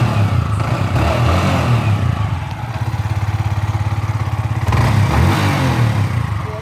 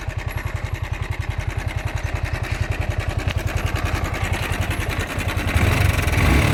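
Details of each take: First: Yamaha R15 V4 after its timing chain tensioner was changed to cure engine noise. Quick, even putter at idle with a brief throttle blip and no rattle or clatter. The engine sounds healthy. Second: Yamaha R15 V4 engine noise at idle: quick metallic rattle on each beat, about three and a half per second; slack timing chain tensioner, fixed by replacing the tensioner.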